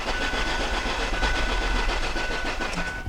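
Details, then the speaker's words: 2002 Ford Focus cranking no-start, battery charged first. The starter spins the engine at an even rhythm, about three and a half beats a second, and never catches. Compression sounds good and even, so it is ruled out, and the fault is later traced to no fuel reaching the engine. "all right just from that cranking test using my fast tech analysis I already can eliminate some variables so because the compressions sound very good and even compression is to the bottom of the list I doubt there's a compression problem"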